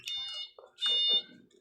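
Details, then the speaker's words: Panasonic top-load washing machine that won't start (power OK, start switch had come loose): tester gives two clean high-pitched continuity beeps as the panel switch is pressed, showing the switch works. "Lahat titingnan natin dapat may magbib yung ano natin pag pinindot natin sa likod ay magbibs tayo sa isang switch"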